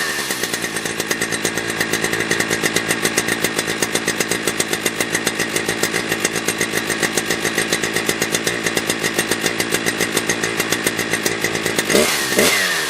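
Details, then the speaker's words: Husqvarna 3120XP chainsaw after lean-condition carb fix with limiter drilled out, around 12.5–12.8k rpm: steady high scream at wide open throttle with only a faint four-stroke burble; properly tuned. "Yeah, that's how it's supposed to sound, right? At wide open throttle, it's supposed to go, whoa, and it just has that ever so slightly with that limited high drilled out. I mean, it's perfect."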